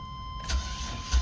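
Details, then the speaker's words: Van sat unused for a year, battery connected: a short crank and the engine catches at once and settles into a steady run without needing a charger; quick, healthy start. "no way we didn't need the charger for this one it started right up oh that's a good battery"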